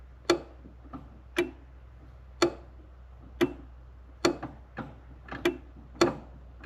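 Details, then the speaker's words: Datsun 280Z project car, wiper motor that doesn't work at all: switched on it gives sharp clicks about once a second with fainter ticks between and no motor whir; it's trying but never turns, and pushing the wiper arm didn't help. "When I turn it on, you can hear something. It's trying, but I don't know if you're gonna hear."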